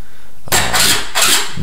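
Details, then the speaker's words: 2020 Yamaha YZ250X two-stroke with aftermarket Panthera electric starter fitted: the starter turns it over somewhat slowly at first, then the engine catches and fires right up with quick throttle blips; normal, clean start. "turns it over at first it's a little under settling that it won't spin it like over super fast and start it right away but it seems that you have to want to start the bike so you can't just sit there and crank it over"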